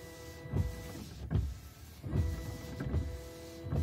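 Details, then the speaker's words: Dodge Ram windshield washer pump after cleaning its clogged screen, which caused a weak spray: short repeated even motor whirs over a low hum; spray now reaches about 3/4 up the windshield, normal operation. "better a lot better actually makes it probably 3/4 the way up the windshield now whereas before it was it was falling short of the windshield wipers pretty much"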